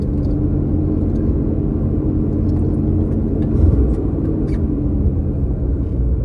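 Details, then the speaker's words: 1984 Chevy C30 crew cab dually, 454 big block with Quadrajet carb, idling cold on a small fuel jug: steady, fast, even drone well above normal with no hunting. It is still idling high because the choke hasn't kicked off yet. "Still idling really high because choke hasn't kicked off yet. Brakes work. Found that out the hard way. Still idling really high."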